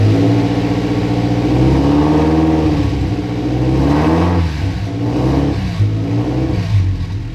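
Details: Subaru-swapped VW Beetle with twin-scroll turbo, engine just started after the swap: a deep, burbly exhaust rises and falls smoothly with throttle blips, with no knocks or rattles. The owner credits the unusual sound to the twin-scroll turbo; normal revving.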